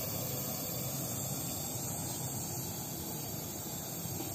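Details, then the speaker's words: Oxy-acetylene welding torch set to oxidizing flame by adding more oxygen: loud, steady, harsh hiss with no flutter, sharper than neutral flame; short, very pointed inner cone and shorter flame. "Hai ini adalah tapi oksidasi perbedaan yang sangat jelas ya yaitu dari suap dari suaranya tapi oksidasi Ning sangat mendesis ya"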